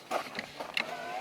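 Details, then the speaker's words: 2001 Jeep Cherokee XJ 4.0, key cycled on after replacing cracked factory fuel injectors with four-hole units: a couple of relay clicks then a faint steady electric hum as the fuel pump primes normally, no leaks found. "we're gonna go ahead and cycle the key on let the fuel pump prime we're gonna check for leaks"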